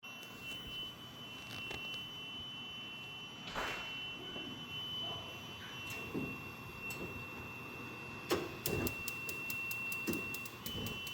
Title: Strange noise on the gas range